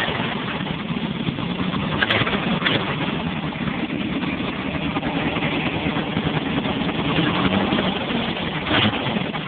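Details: Volvo 740 turbo at idle: steady idle with a rough, busy rattle and faint whistle; unusual engine noise, source not identified.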